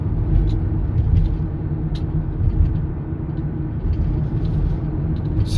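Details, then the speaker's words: 2009 Toyota Sienna FWD 3.5 V6 minivan while driving: steady low rumbling growl, sometimes very loud. Front wheel bearing noise suspected; left or right side not determined. "I can hear it very clear sometimes get very loud you know but it's always the sound there the noise of the wheel bearing"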